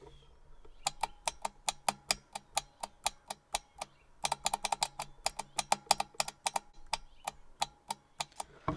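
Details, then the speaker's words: Generac Ultra Source 15000 generator with a no-start fuel issue: the fuel solenoid valve, bench-tested on a small 12 V battery with the mic close, gives crisp evenly spaced clicks. It pulls in and releases cleanly, so the solenoid is working. "we're going to hear if that vowel makes any noise and it makes noise so we're gonna we're gonna get the microphone closer so you can hear what it makes"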